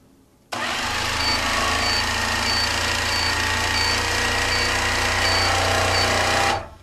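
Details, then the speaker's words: IntelliStitch Turbo CL stitch-regulated quilting machine at max dial while stitching, speed-up button pressed: steady high buzzing motor with stitching patter, pitch rising slightly as it speeds up; smooth, healthy running. "i think you could hear it speeding up"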